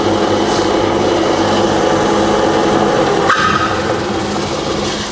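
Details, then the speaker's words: Rebuilt Bridgeport belt-drive milling machine after full service, spindle just switched from low to high range: steady, quiet whir from the head with an even tone and no grinding, knocking or belt slap; the spindle runs smoothly. "so I'll put it into high rage it's running really nice you know"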